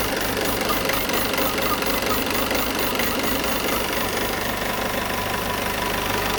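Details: Peugeot 508 2.0 BlueHDi 180 hp diesel at idle with an uneven rapid ticking knock on top; odd noise, cause not identified.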